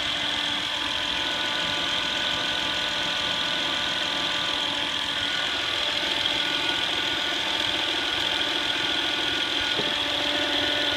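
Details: 2008 Honda Accord EX-L V6: constant high-pitched electrical whine over a smooth idle without changing; a bad diode in the alternator causes it.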